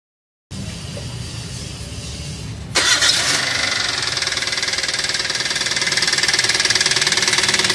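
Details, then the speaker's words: Toyota Avanza after driving through floodwater: engine fires into a harsh, rapid metallic knock about four a second that grows louder with revs; damaged connecting rod, engine needs overhaul. "ya teman-teman sudah bisa dengar sendiri suara mesinnya seperti itu ya jadi Kasar banget kalau digas tambah digas plus digas tambah kenceng suaranya jadi seekor beriringan ya jadi sesuai RPM"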